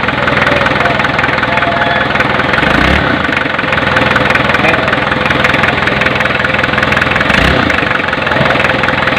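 Diesel settles into a steady, even idle with a smooth low rumble and no misses or knocks; sounds healthy.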